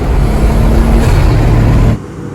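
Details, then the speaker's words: Nissan Skyline R33 running after replacing its 25-year-old fuel filter and installing an HKS Super Power Flow air filter: deep steady engine note for about two seconds, clean intake sound; owner says it sounds like it has a turbo. "Alright, so I am very pleased with the results. It sounds 100 times much more better. It sounds like there's a turbo in this car."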